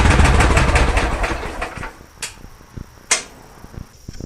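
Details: Kohler Command engine in a Cub Cadet garden pulling tractor after new fuel lines; it previously died out slowly at the track end. Loud, throaty bark firing steadily with no stumble before shutoff; fuel delivery now healthy.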